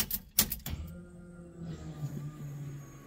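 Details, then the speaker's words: 1969 Camaro LS3 swap, new fuel system with fresh 93 in the tank, key-on prime reaching about 45 psi: a few clicks, then a faint steady electric hum as the pump primes and picks up fuel; normal priming. "can hear the pump picking up some fuel"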